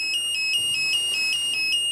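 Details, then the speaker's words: 1992 Genie boom lift in platform control mode with no fuel light showing. A steady high-pitched warning beeper sounds at about five pulses a second with no engine running. The fuel solenoid is suspected of not turning on. "we don't see the fuel light which is interesting and we have some kind of beeper up here"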